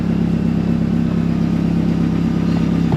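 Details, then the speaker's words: Vauxhall Astra VXR with Pulsar PSR4849G big turbo, reprofiled cams, solid flywheel, MAF unplugged, first start in months: even idle, steady low hum with light metallic chatter from the solid flywheel, normal; squeaky alternator also noted. "have got a solid flywheel, so you're going to hear that. Just to let you guys know."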